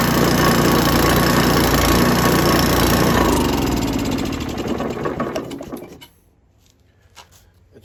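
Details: Coleman Powermate MAXA 3000 generator after new carburetor and cleaned tank, air cleaner not yet fitted: small single-cylinder engine runs with fast, even beat, then winds down and stops; runs normally, but kit fuel line leaks.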